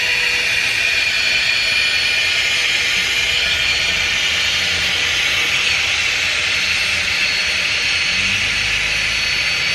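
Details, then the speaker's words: FlexTailGear Max Pump 2 Pro inflating an air mattress: steady airy high-pitched whine with thin tone on top; pump labouring near full pressure, about 1 minute 15 seconds to fill. "yeah I can hear the pump working harder I think that's all the air it can do"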